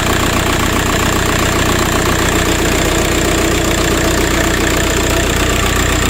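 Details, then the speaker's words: VW Passat B3 with swapped ARL PD150 diesel, just after a turbo replacement: steady, even diesel clatter at idle with no siren or rising whine; the old bad turbo's siren noise is gone and it runs healthy. "oh looks good sounds all right well that's that I've done it Turbo's on sounds good I've lost that woo woo noise"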